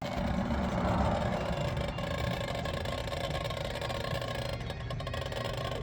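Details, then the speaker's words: Unexplained constant whirring hiss with a faint steady tone and no engine rhythm, heard while the EF sedan's engine is off and being disassembled; owner guesses something rubber settling, source unclear. "this what the fuck is that noise second I turned on the camera and started making that noise weird that was weird I literally turned on the camera as soon as I hit record it started making that noise"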